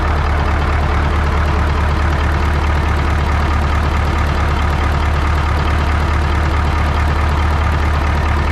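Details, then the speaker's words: 1980 Peterbilt 359 EXHD with Caterpillar 3408 diesel, revived after sitting for years; loud, steady deep rumble with an even rhythmic chug, no misses or surging, healthy idle. "hella sketchy. I can't believe the damn thing runs, dude."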